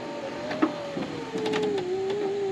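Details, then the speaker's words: 2004 Volkswagen New Beetle passenger window lowered after it began sounding crunchy: motor hums and drags lower in pitch with gritty crunches and snaps like corn flakes; failing window regulator suspected before replacement. "okay so i have not put this window down since she said it got all crunchy so let's put it down"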